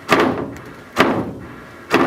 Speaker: in this case it was a banging noise from a sewage pump that had not had their piping strapped off properly so every time that pump would cycle it rattled the house like nobody's business it would just bang bang made a whole lot of noise inside the house